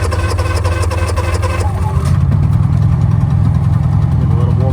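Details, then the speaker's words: Honda generator on a CUES splicer lab truck, cold start with fuel on, choke pulled and electric start: starter cranks briefly, then the engine catches into a steady, even low drone and warms up normally. "This one's cold, so I'm going to pull the choke out. And it's electric start. Just going to crank it over."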